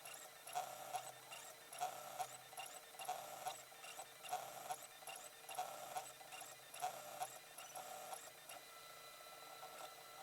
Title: Printing on the Flashforge Inventor 2